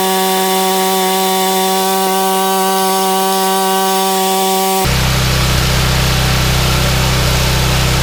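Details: Yardman 31A-285-452 21-inch snowblower, 5 hp Tecumseh engine, sat unused for years, restarted with primer: small single fires and holds fast even rattle, no misses or surging; engine good but tine assembly does not engage.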